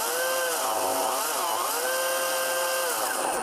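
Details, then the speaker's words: Lite-Hawk XL RC helicopter: high electric whine wavering unevenly as one rotor motor labours and barely spins; motor failing, to be cleaned or replaced. "And you hear that sound? So this one is not working properly."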